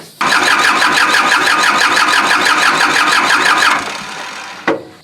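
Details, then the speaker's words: Kubota L2350 diesel tractor that died from water in the fuel tank, during fuel system bleeding with front injector line open: starter turns it evenly, about three compression beats a second, without firing. "so i'm gonna go over and crank it up and crank it over and see it won't start because those lines are open this front one's the only one that's open"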